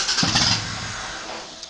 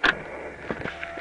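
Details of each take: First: 1993 IROC Daytona on MS3 engine management, trigger angle possibly 65, after-start enrichment being adjusted: engine fires briefly then dies within a second; starts then stalls, after-start enrichment suspected. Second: 1993 IROC Daytona running MS3 engine management, trying to get it to run: at key-on, brief thin electric whine with faint clicks as the fuel pump primes for 2 seconds, engine not running.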